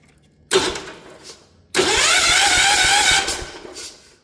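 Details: Ford LGT145 garden tractor from a parts yard, fresh battery, after tightening a bad positive connection: a short blip, then about 1.5 s of brisk, even starter cranking, engine spinning freely; cranking healthy.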